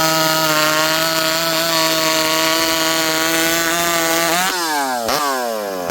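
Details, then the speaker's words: Stihl 064 chainsaw after a new carb, 25-inch bar, cutting with high jet at about 1 turn; high steady scream bogs slightly and recovers cleanly as it bites; pulls hard and fast; normal cutting. "I'm leaning on her pretty good there. This thing pulls hard and it's fast."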